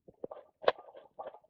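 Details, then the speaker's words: 1996 Mustang GT, engine off during intake manifold replacement: short, uneven bursts of light metallic clatter as the water pump is turned by hand. Internal pump rattle, so the pump will be replaced. "actually rattling that's not me hitting anything that's the insides of the water"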